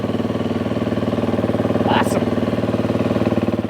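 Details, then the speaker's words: Beta dirt bike after its fuel pump was fixed, started without a cold-start choke. Steady, even single-cylinder thump at idle, about four beats a second, pump heard running, no misses. Normal running. "ry it out fingers crossed I hear the pump running [Music] is there a cold start on these things I don't see a cold start so there we go sweet that's awesome"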